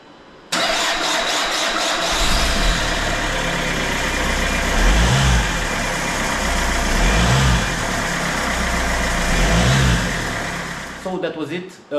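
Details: Peugeot 307CC 2.0 HDI after Delphi fuel pump gasket and vacuum pump seal replacement, fuel primed by hand pump: brief crank, catches at once and settles into even diesel idle clatter without stumble or hunting; healthy.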